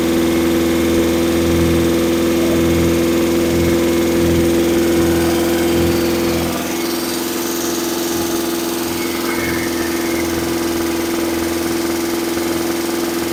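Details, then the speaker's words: Engine during cam break-in, after finding oil leak at switch, about to check timing: steady fast idle about three beats a second, smooth; owner thinks idle a little high, no tachometer; lifters sound loud with chrome rally pushrods. "I don't know that idle might be a little high right now I don't have a tack just guy and go by here"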